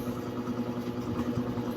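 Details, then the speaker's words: 220 V electric fan that only hummed without spinning, after oiling the bushing with oil or WD-40: steady motor hum and light whir as it spins strongly at full speed; temporary fix, bushing and shaft tightening. "Oh lakas ng ikot mga kaor perma no yon lakas Okay naman yan mga ka-an no"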